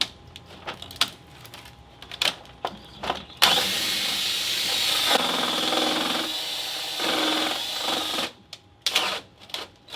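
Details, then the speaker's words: Burnt, melted brushes in a Dewalt hammer drill: it hammers roughly for about five seconds, speed sagging and uneven under load, crackling and smoking with no power before the battery is pulled. "why was it smoking brushes are melted together huh brushes are melted together"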